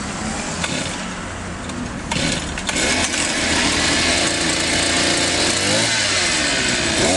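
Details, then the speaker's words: Elmos two-stroke trimmer after cleaning a clogged muffler and exhaust port, the cause of its lack of power and failure to rev: high buzzy note picks up, revs cleanly and holds an even run; normal running, good idle. "Двигатель работает в норме. Холостой ход отличный."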